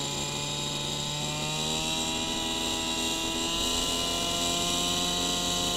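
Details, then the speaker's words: Small two-stroke idling with a steady, even buzz rising slightly in pitch after the low-speed mixture screw is turned back in to 1 1/8 turns: less four-stroking and less exhaust smoke, a smooth idle with the correct mixture. "can hear that the four stroking is decreased on it and we have a little less smoke coming out of the pipe"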